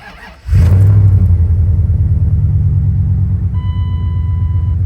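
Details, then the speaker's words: Dodge truck first start after oil leak repair with fresh gasket maker: cranks and catches at once, settles into smooth, deep, even idle, no misses or knocking; oil pressure good, no more leaks; normal start and idle. "The motherfucker is running. Oil pressure is good. Yeah, no more leaks. All right, now that I'm officially dirty as f, truck's working again. Fires up, sounds good, and have oil p"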